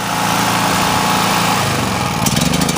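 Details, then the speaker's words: Generac GP3250 generator after fuel system cleaning, new carburetor, gaskets, fuel line, shut-off valve, tank cleaned and oil flushed: small engine at steady even speed, no knocking or banging, a few light clicks near the end; runs healthy. "sounds good no banging or clang or weird noises so the machines ready to go back to customers"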